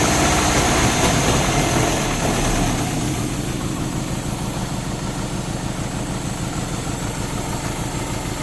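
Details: Euro-spec Mercedes 190E 2.0, 5-speed manual: catches and settles into an uneven, stumbling idle with a lumpy beat; misfire from a fouled spark plug. Two plugs were pulled and cleaned, and one is thought completely fouled.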